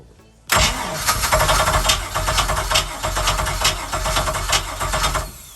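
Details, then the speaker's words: 1997 Maxum 2300 SC boat engine with throttle applied: hard to start, rough and uneven as it struggles to stay running, with a high-pitched mechanical clink; blown head gaskets. "unfortunately you notice a few different noises here you can hear the hard to start the motor struggling the stay running as well as a highp pitch"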